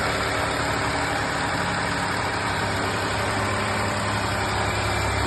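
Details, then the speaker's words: Ford F-150 3.5L EcoBoost twin turbo V6, first start after timing chain replacement with updated cam phasers: steady even running with no ticking or chain rattle; smooth and healthy. "pretty smooth. I think we're alright with that."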